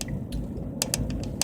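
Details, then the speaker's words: Sharp irregular clicks, a few a second, over steady road rumble while driving a Central Texas ranch road; the phone holder is rattling loose in its mount, and tape did not stop it. "uh trying to stop that clicking noise but I can't figure out how to do it I tried to put some tape on it anyway so we'll just pretend that's my music I added music that clicking noise is my new music"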